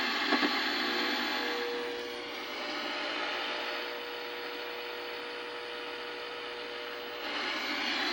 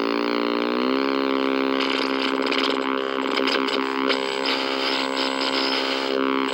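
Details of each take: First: 1964 Sony 9-304U portable TV after the bad detector diode was replaced: a steady, even static hiss with a faint constant tone underneath and no squealing; it is now working. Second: 1964 Sony 9-304U portable TV: a loud buzzing drone of shifting pitch with a steady whine over it, audio motorboating and squealing.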